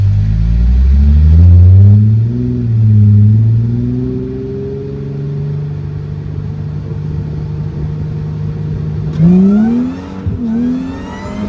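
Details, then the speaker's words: Mercedes SLK320 with M112K supercharger, now fixed and making about 13 psi boost, driving pull with throttle feathered as rear end breaks loose: engine pulls hard, revs climb, ease off, rise again; normal strong supercharged acceleration. "Wow, like I literally just had to keep feathering the throttle because I would just go wait. I definitely have I need to have 2 hands on the wheels when we do this."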